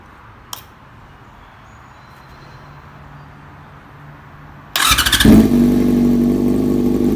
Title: 2007 yamaha R6s First start after Replace the ignition coil